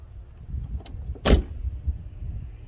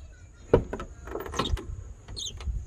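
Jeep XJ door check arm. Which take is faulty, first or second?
second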